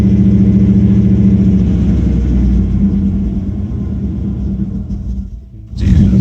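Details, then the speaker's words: 2002 Dodge Durango with a crank/no-start history, later traced to a battery killed by a parasitic draw; steady low rumble sags and nearly dies, then picks back up as the gas pedal is pressed and released; engine bogging on throttle. "I don't really know what it is I'm just pressing on the gas pedal again letting off huh"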